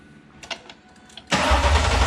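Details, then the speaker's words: Coyote-swapped 2002 Mustang GT, first start after the swap, starter triggered through the control pack: a few relay-like clicks, then the engine catches cleanly and settles into a strong, even idle; normal first start. "Yes, sir. Yes, sir. She making noise. Good deal. One step closer."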